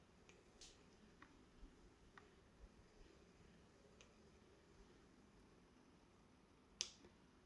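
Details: Hohem iSteady M6 gimbal in a quiet kitchen: a continuous faint motor noise, irregular light clicks, and a sharp knock when it is tilted quickly.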